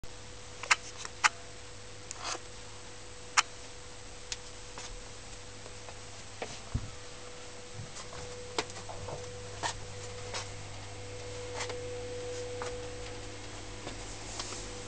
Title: Worcester Bosch 440Cdi Humming Noise